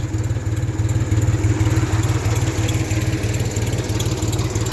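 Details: 1974 Ford 3000 gasoline three-cylinder tractor revived after being water-locked, new cylinders and muffler: steady even thrum about three beats a second with no misses or knocks; idling healthily.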